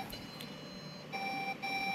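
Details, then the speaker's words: Desktop PC motherboard: plugging in the power cable starts a continuous steady high-pitched beep that stops when the cable is removed; RAM stuck inside the board. Board-level fault, cause unknown. "bipnya mulai terdengar gak lepas kabelnya trus baik-baik saja lalu berhenti begitu lepas kabel powernya, trus pas dipasang kabel powernya mulai bunyi bip"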